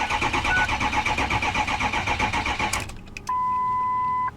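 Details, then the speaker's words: Diesel truck, 357,000 miles: starter churns in rough pulses about four a second for under three seconds, never catches; cranks, won't start, owner suspects it lost fuel prime. "I don't think this one runs guys check gauges I'm not going to burn up my booster pack on this one truck it probably probably lost its prime I find that all the time out here"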